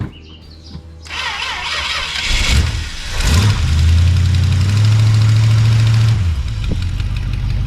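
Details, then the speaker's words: Plymouth Belvedere big-block Mopar V8, started with a spritz of starting fluid after sitting a couple of days: it catches, flares and settles into a lumpy idle. Hard restarting is suspected to be a bad accelerator pump; the manifold has minor exhaust leaks. "I think this guy has a bad accelerator pump or something because I can never get started back up after it ran prior"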